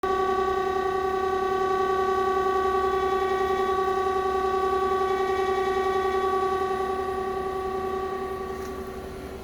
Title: heat pump weird noise